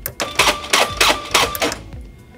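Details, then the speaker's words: Motorized latch retraction (MLR) exit device after a failed calibration of the push bar retraction distance, powered up: rapid, uneven mechanical clacks as the latch motor cycles erratically; the fix is to repeat the calibration steps. "if the calibration was not successful the device might act like this when power is"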